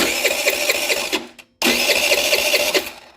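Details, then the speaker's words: $100 Chinese 50cc scooter after carb replacement: two bursts of rapid starter cranking, about a second each, with no firing; coil tested still no spark, new CDI restored spark; no spark from faulty CDI. "that spark H has no spark so we had a no spark scenario so I pulled out two coils to test them still no spark which obviously the next logical thing to do would be to test the CDI"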